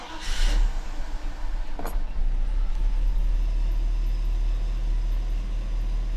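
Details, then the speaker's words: Mercedes W126 560SEC, hard-to-start fuel problem, after replacing fuel check valves: starter catches quickly, then steady even low idle with no misses; engine dislikes throttle being applied. "smooth want to put the gas on though she doesn't like that"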